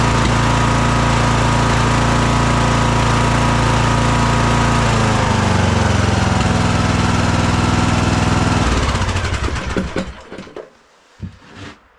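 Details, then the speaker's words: Craftsman DLT3000 lawn tractor single-cylinder engine, after coil, fuel filter and carb work: uneven thumping about four beats a second, wavering before shutoff. The idle is really bad. The owner plans a valve adjustment. "Well, I still don't like the way it's running. Uh, I think I'm going to do a valve adjustment on it and see if that makes any improvement."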